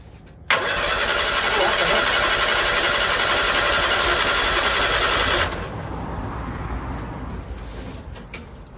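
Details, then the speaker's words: 1964 Bedford CA panel van, unrun about 10 years, big battery: starter cranks evenly about four beats a second but never fires; sounds like no spark. "sounds like there's no spark mate because i think that probably fire if it was gonna get that lucky make it a funny old noise"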